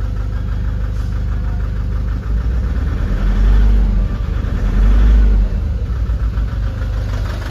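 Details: Nissan Urvan Estate ZD30 diesel at idle: lumpy, stumbling idle with uneven low thump about four times a second; misfiring, smoky and vibrating on gentle throttle, no check engine light or fault codes.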